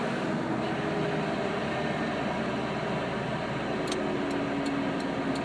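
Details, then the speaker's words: 1992 Toyota pickup: a dense, rough grinding rumble that seems to come from the transmission when off the gas in gear; no grinding on the gas or in neutral. Owner asks what the cause could be. "Foot on gas. And when I let off the gas, here's the grinding noise. Foot's off the gas, making a noise."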